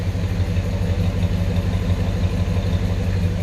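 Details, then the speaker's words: 1966 Ford Galaxie 500 V8 with new Pertronix ignition replacing arcing points and the carburetor adjusted. After a cold start the choke comes off and it holds a smooth, even low rumble with no knocks or misses. Normal idle. "choke comes off and a reasonable amount of time and it just runs perfect so I'm totally happy with the engine performance it's been running for a while"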